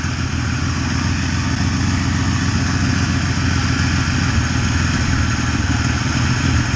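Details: 1993 Ford Ranger 3.0 Vulcan V6, running on five cylinders: steady idle with a slightly lumpy, uneven beat from a weak cylinder; blown head gasket pushing exhaust gas into the coolant, which turns bubbly.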